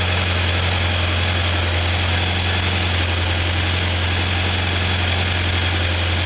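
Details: 1994 Saab 9000 after injector work, plugging the failing secondary air injection valve's vacuum leak, and a new battery: engine settles into a steady, even idle with smooth low rumble and no misses; runs normally now.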